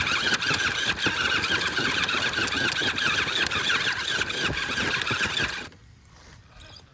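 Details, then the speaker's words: Wraith rock racer's front axle after damage at the Gauntlet: a whirring drivetrain with gritty chirping, grinding squeal and quick ticking from up front. Owner first suspected the ring and pinion, now possibly a chewed-up bearing; not confirmed. "It definitely sounds like it's coming from up front, which is not surprising. These axles are pretty notorious for chewing through some ring and pinion gears."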